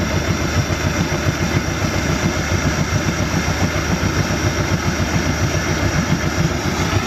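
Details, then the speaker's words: 2017 Mercury 90hp Command Thrust four-stroke outboard after an IAC valve replacement fixed a six-beep alarm: a steady, fairly even idle with a slight shake left. It probably needs fuel cleaner and better fuel. Much improved, near-normal idle. "I got a couple little pieces I need to put on there but yeah nice and smooth still Shake shakes shakes a little bit"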